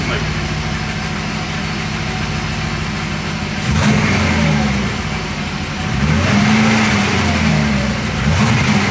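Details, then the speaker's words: Porsche 928 V8, hot with fans running, after tightening loose exhaust manifold bolts where the gasket was nicked; even idle and throttle blips with no puffing from the manifold side, only a slight tap at the front; it runs normally. "there's none of that noise down the side now around here which is really good"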